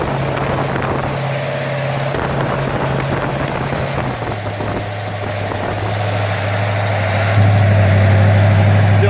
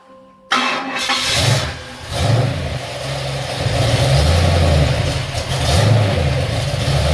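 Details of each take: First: Ford XC Fairmont 351 V8 on a run stand: even deep idle stepping up to a higher steady fast idle, running smoothly on choke while warming up; normal cold idle. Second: Ford XC Fairmont 351 V8 on a run stand just after fitting a Thermoquad carburetor, choke not yet set: catches, revs a long way up, then uneven lumpy surging idle; smells very rich, running rich after carburetor install.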